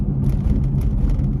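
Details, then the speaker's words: Truck driving at speed with a low, steady rumbling hum and no clicks or grinding, after new calipers and rotors and a wheel bearing replaced last month; the owner suspects tire noise and plans wheel balancing. "It could be the tire is making that vibr uh that uh noise. Actually looks like it cuz I have a new bearing."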